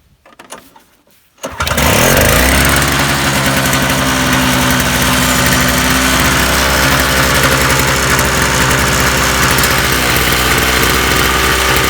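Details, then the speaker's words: Toro two-stroke snowblower after carburetor main jet cleaning and new spark plug, already warmed five minutes, choke off: fires after a short pause and settles into a steady, even, high buzz with no stumbling. "i'm happy to say that this actually runs now i just had it running for five minutes choke is off"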